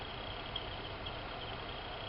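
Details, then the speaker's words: 2000–2007 Ford Focus blower motor on low speed: steady fan rush with a faint high chirp about twice a second. The squeak is worst on setting 1 and gone on 4; it comes from dry bushings, fixed by oiling them. "So I got a Ford Focus here with a squeaky blower motor. I'll demonstrate. That's squeaking."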